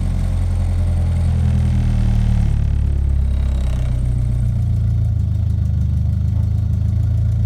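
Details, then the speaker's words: Car with KA engine just after starting: held up on the throttle with a low, uneven drone that sags and surges, dies without throttle, later idles normally, running rich; owner suspects bad fuel pressure regulator. "so it starts out fine we're just going to keep an eye on this real quick i have to give it gas in order to keep it alive"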